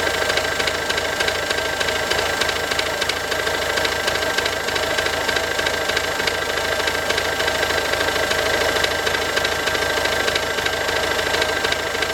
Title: Ford Focus C-Max 2007, 1.6 TDCI, 90HP, engine problems (bad sound)